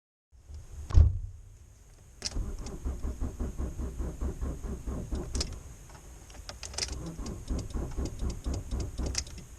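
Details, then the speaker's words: Fiat Punto II that suddenly wouldn't start: a thump, then slow, labored cranking about four strokes a second that never catches; battery shows 61% charge but only 12% health, likely broken cells or sulfation. "So, my car decided to give up on me and after hearing that wick crank, I'm almost certain it's a faulty battery."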